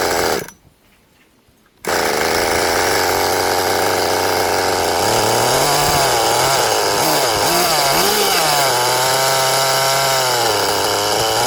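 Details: Restored 20-year-old HPI Nitro Rush Evo, new glow plug and fuel, first start with throttle trim raised: after brief dropout, steady high buzz wandering with throttle, slightly uneven; sounds rich, cause unconfirmed.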